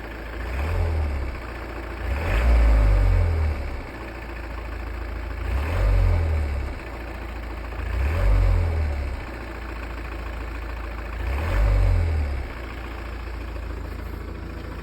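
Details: Volvo V40 D2 diesel after clutch and flywheel replacement, idling with light revs every few seconds: loose, rough rattle that swells with the revs; cause suspected, not confirmed.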